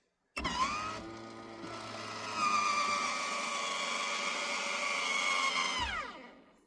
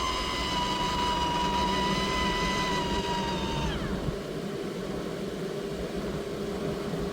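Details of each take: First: Maxx Air roof fan in a camper van after motor overhaul and replacement to cure squeaking: steady even whir spinning up and down with no squeak; normal operation. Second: Maxx Air roof fan in a camper van running at max speed: steady high-pitched squeal over the fan's whoosh, then sliding down and fading; fan motor squeal before motor overhaul or replacement.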